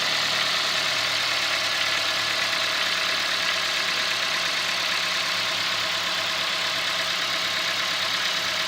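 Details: 2016 Ford Fiesta 1.6L inline four, about a year old; even, steady idle with a light, bright mechanical hiss and no knocks, rattles or hunting, quieting down after about 30 seconds from start; normal running engine.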